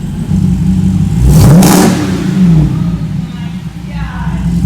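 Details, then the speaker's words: First start-up after swapping an SRT 6.4L Hemi V8 into a Jeep Wrangler JLU Rubicon, fluids just filled: deep V8 rumble blips sharply up and settles to a lumpy idle, revving cleanly with no knock or misfire; normal engine revving. "he's like what is that that sounds different oh yeah like oh man we're gonna wake up some babies shake some houses"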